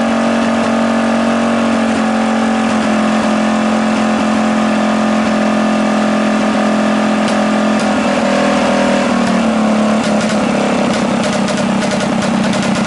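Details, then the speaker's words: Rebuilt Tillotson 212cc Mega Moto engine, running with the air filter removed: steady but lumpy idle with slight pitch wander that sounds over-rich; the owner believes the PZ22 carb is too small and this is the best tune possible. "all right I think with this pz22 it's too small of a carb for what we have going on here I think that's the best tune you're going to get for that currently"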